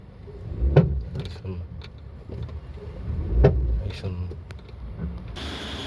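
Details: Maruti Baleno standing still: two dull low clunks about three seconds apart over a quiet background; suspension knock from worn bushes.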